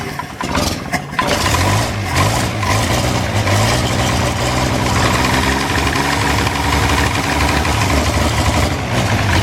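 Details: Series III replacement motor for a 1937 Wolseley 14/56 restoration, preliminary bench test after sitting about 30 years; after a few rough catches it fires and settles into a steady, even low idle that holds speed without stumbling: normal idle.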